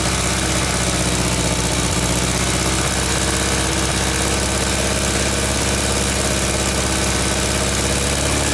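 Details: Air-cooled VW Beetle engine idling after its smoking alternator was repaired with electrical tape: steady, even chatter with no misses or surges. Engine settled and running healthy; belt tension still unverified.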